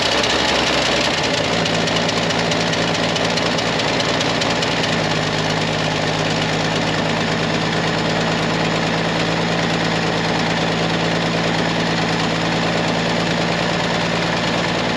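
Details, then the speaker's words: 1967 GMC V8, unstarted for about two months, after a new choke cable was fitted: brief cranking, then it catches and settles into a steady, even idle that holds without faltering. It is a healthy start thanks to the choke. "without that joke no way would have this thing ever fired up I would have been out here dribbling gas in it and ether and everything else gets fire up so huge difference huge difference"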